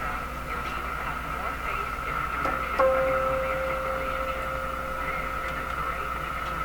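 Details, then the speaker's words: Canadian Philco 409 (46-350) portable tube radio, restored and re-aligned, playing when a steady mid-pitched ringing howl holds under the program; microphonic feedback, suspected to come from a microphonic output tube. "sounds like the output tube is microphonic"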